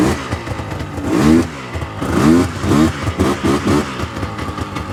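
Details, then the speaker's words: 1999 Yamaha VMAX 700 two-stroke triple snowmobile blipped in short rising revs, stumbling and fouling at the low end as if one cylinder cuts out; one plug dark and one white, center cylinder suspected, not confirmed. "so you can hear right there definitely on the low end fogging out now when it finally did kind of clean itself out it sounded like it was running on three cylinders but still not running 100% for sure"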